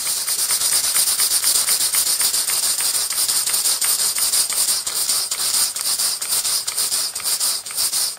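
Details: 110-year-old Stevens model steam engine tested on steam from a test boiler too small for it: fast, even hissing chuff with no knocks or rattles; running freely and well.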